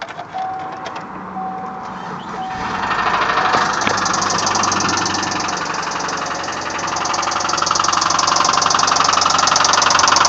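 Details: 1999 Subaru Forester, 101k miles: engine starts and runs with a steady sharp metallic knock about four per second following revs; rod knock.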